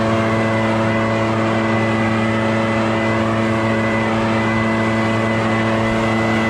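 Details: Barn-find Echo PB650 backpack blower on fresh gas after years stored, clearing a shingle roof: steady high-revving two-stroke drone at even pitch, no surging, bogging or misses; normal running under load.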